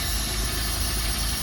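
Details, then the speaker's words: Mercruiser V6 marine petrol engine with a Delco EST ignition upgrade, idling after base timing was set. It gives a steady, even low rumble with no knocks or misses: normal idle, with the timing mark about one inch past TDC and the set-timing connector unjoined. "right the engine is now running and i'll show you what the timing looks like remember i've already set the timing i'm going to show you what it looks like when the uh under normal operation"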